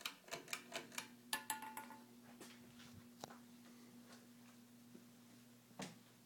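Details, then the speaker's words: Air Cool 42" hugger ceiling fan, made July 1987, running on medium: light irregular ticks over a faint motor hum, thinning out over time. Cause unclear; the owner suspects the unconnected ground wire and disregards it. "might be the ground wire that i didn't hook up i don't i disregard that sound all okay"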